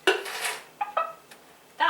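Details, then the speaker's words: Pressure-canned chicken stock jars just after the canner lid is opened: sharp metallic pings, a few in under two seconds, as the jar lids seal properly. "that pinging that means our jars are sealing and that is what we want to"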